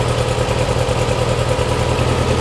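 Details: Porsche 356 Speedster replica on an air-cooled VW engine, running 6A-weight oil after a remote oil filter over-pressurization problem: even, steady low idle with no knocks or ticks, oil pressure settling to 40–45 psi with the cooler warming; idling healthily.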